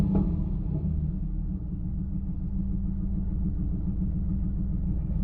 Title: LS1 Misfire